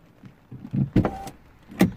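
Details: 2008 Porsche Boxster (987), believed 2.7 engine, driver window: short motor whirrs strain inside the door around door thuds but the glass never travels; failed window regulator.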